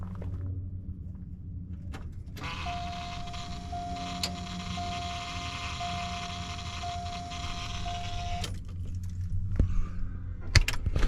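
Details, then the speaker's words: 1988 Ford F250, electric fuel pump run via jumpered relay with key on, microphone under truck; thin steady whine with small regular hitches; pump sounds like it's sucking air, owner unsure, maybe a bad O-ring. "One of the things I don't like that's going on is it sounds like it's sucking air. And I'm not sure what to make of that."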